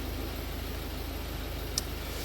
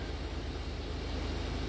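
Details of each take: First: Ford Focus diesel, previously running on three cylinders, after replacing cylinder 2 and 4 injectors: steady, even idle with regular low pulse, no stumbles or shaking; idle now normal. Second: Ford Focus diesel that had been running on 3 cylinders, now with new injectors in cylinders 2 and 4, running mostly evenly at raised revs with a slight irregular stumble from a small misfire at about 1,500 rpm.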